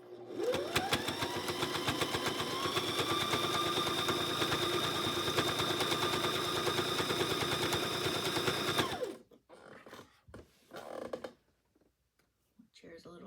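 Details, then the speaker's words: Sewing machine sewing binding onto a quilt: fast even stitching clatter with a thin high squeal riding steadily over it throughout; machine is a little squeaky, cause unknown. "little squeaky. You can probably hear that."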